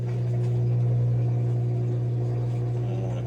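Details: Whirlpool washer WFW75HEFW0 after the F3E1 slow-drain repair, drain pump tested with the machine open: strong steady hum with water rushing. It is now draining properly; it should empty in about 3 seconds but had been taking 5 minutes.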